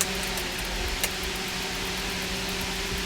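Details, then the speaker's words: 1968 Winnebago RV under restoration, interior accessories wired up; steady low pump hum under even airy fan hiss, no knocks; fans and water pump work normally. "You got the water pump. I hear it. Yeah, water pump is this one. So water works."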